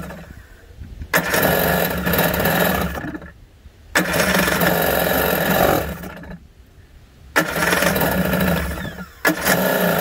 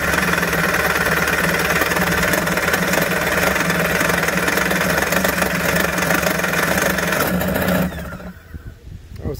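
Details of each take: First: 1991 Kawasaki 550SX two-stroke jet ski, first start after about six years in storage (stored with fogging spray, fuel stabilizer); run briefly without cooling water, choke being adjusted: crisp buzz in clean throttle bursts, starts like a charm, normal running. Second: 1991 Kawasaki 550SX jet ski two-stroke, first start after six years stored, run without cooling water, choke adjusted: rough uneven buzz about eight seconds then dies; barely catching on choke.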